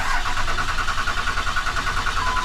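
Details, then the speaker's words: Ram 2500 Cummins diesel at about 999,900 miles, stranded: starter cranks at an even steady beat with no firing or catch, no fuel getting through, traced to a failed fuel control actuator. "Yeah, nothing, no fuel, right? Correct."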